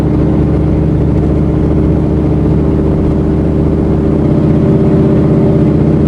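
Steady mid-pitched engine run with an uneven, stumbling pulse about four times a second, consistent with a misfire.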